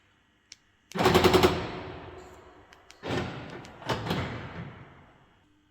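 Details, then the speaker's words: Mercedes B-Class door lock: the door cover pushes the lock rod against the door so it binds. The actuator retries rapidly, giving a burst of about five sharp clicks and then more clattering bursts. "and it can't move that easily like like it used to move so the door actuator tries to close the door several time very quick and you have this sound"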